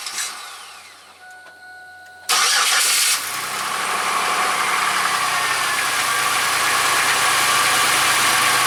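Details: 1995-05 Oldsmobile Silhouette/Pontiac Montana/Chevy Venture minivan, first start after fuel pump replacement with new steel-to-nylon compression fitting line: cranks briefly, catches cleanly, smooth even idle; fuel then sprays, apparently from the return line.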